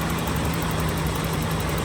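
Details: 1985 BMW 325e E30 parked four years, after replacing both fuel pumps, fuel filter, crank position and speed sensors, plugs, distributor and rotor: steady even low rumble, no knocks or misses; normal smooth idle.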